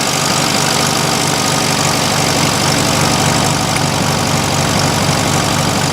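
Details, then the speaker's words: 1971 VW Super Beetle, freshly cleaned carburettor; steady fairly fast idle holding even with no stumbling after the idle jet was loosened and backed off a tiny bit; normal idle, though the fix later proved inconsistent. "there, I loosened that idle jet up, and now it's working."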